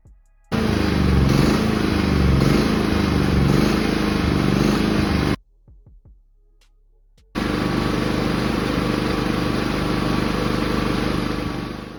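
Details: Inverter generator after cleaning the carburetor to cure ECO-mode surging: smooth, even hum at constant speed with no rise and fall, apart from a short quiet gap; no surging, running like new.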